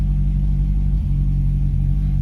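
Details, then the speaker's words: C6 Corvette V8 after full engine rebuild (flooded car), already warmed up, oil pressure about 36 psi: deep steady low rumble, even beat, no ticking or knocking; normal idle. "good oil pressure like 36 psi it's already warmed up"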